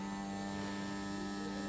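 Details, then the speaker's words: JGY 370 gear motor rated 20 RPM at 6V, run from a supply set to 6V with a 5 A limit, sitting on a table that reflects and amplifies the sound: steady even hum, no clicks or grinding; it measured 18.6 RPM. Normal gear motor hum. "देख सकते हैं sound काफी ज्यादा आ रहा है क्योंकि इस table के अंदर साउंड रिफ्लेक्ट हो रहा है"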